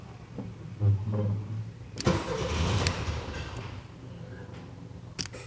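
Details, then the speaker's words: 1979 VW Super Beetle convertible, fuel-injected, off the road 8 years with fire damage, running on foul old gas: engine catches, runs rough about two seconds, then dies; owner suspects weak fuel pump pressure, unconfirmed. "wipers I can't believe it's running on this gas it smells like straight up horrible so that fuel pump might not be putting enough pressure out that might have been all it had"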